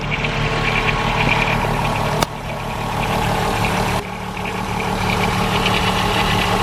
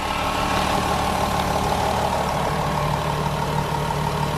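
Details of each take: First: VW Golf 4 VR6 2.8 L V6 idling: light fast metallic rattle from a worn timing chain, worse as the engine warms, recorded before chain replacement. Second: Golf 4 VR6 2.8 litre after timing chain replacement with engine installed, previously noisy chain: steady, even idle with smooth low hum and no ticking or rattle on top; healthy, quiet engine.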